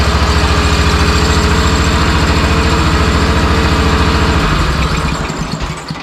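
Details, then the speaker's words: Honda RT5000 4WD tractor after reassembly, plastic fuel tank, throttle cable loose: quick evenly spaced firing beats at steady idle for several seconds then smoothly winds down; runs clean and good. "I just plugged everything in, fired it up, and she runs good."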